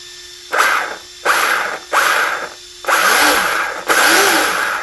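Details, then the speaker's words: Team Corally Kronos RC car converted to Kagama, first bench test after rebuild: five short bursts of motor whine spooling up and down smoothly, no grinding or clicking; drivetrain sounds healthy. "Sounds good. Well, there she is, all ready to go."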